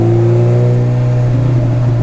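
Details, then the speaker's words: Turbo Honda Integra on a test drive, accelerating in first gear: a low hum with a higher whine over the engine. Second-gear whine is reduced, first still whines mildly; it had popped out of gears. "So after driving the car for just a second, the first thing I noticed is the 2nd gear doesn't whine as bad as it did. So this is 1st gear. it still does whine."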